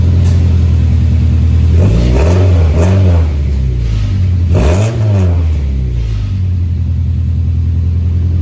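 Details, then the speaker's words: 2001 Honda CR-V RD1 after welding the exhaust: deep, even exhaust drone swelling smoothly through two throttle blips and settling, no leaks or rattles; normal exhaust after repair. "But hey, it should hold at least and quiet this thing down pretty good till I decide to completely go through the exhaust system."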